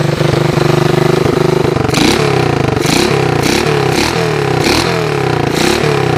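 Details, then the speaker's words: Honda TRX125 ATV, 150 PSI compression, carb cleaned and spacer orientation corrected, running 30-weight oil: cranks, catches and settles into quick steady putter with rev blips, running cleanly though smoking. "So, as you guys could see, she's a bit of a smoker, but it has really decent compression."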